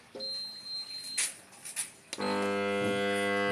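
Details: MD large steam (mist) fan model FA0555 (caption F-A055R), plugged in and tested before repair: beep and button clicks, speed buttons pressed but fan motor won't turn, steady buzzing hum; owner suspects fan motor fault, to be dismantled.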